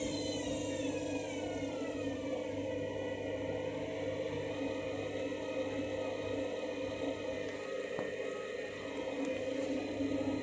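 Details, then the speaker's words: Washing machine on spin and drain after a reset from synthetics because it wasn't heating: motor whir climbs and wavers unevenly instead of settling, described as a dodgy spin, never seen before; erratic spin, cause unclear. "This is what you call a dodgy spin cycle."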